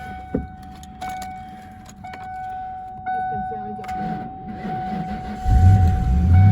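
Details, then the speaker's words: Manual SN95 Mustang bought at auction, jump-started after a dead battery: quiet cranking, then catches around five seconds in and settles to a steady, even idle; starts and runs fine. "Oh, this thing runs. That's so sweet."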